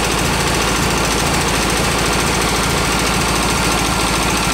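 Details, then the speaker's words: VW bus engine rescued from a garage, cold start: loud, rough running with uneven rapid tapping, about three a second, over heavy clatter. Noisy valve gear suspected, with carb popping blamed on a burnt valve. "her I don't sounds better still tapping loud juding by the way that's popping through the carb has a burnt valve"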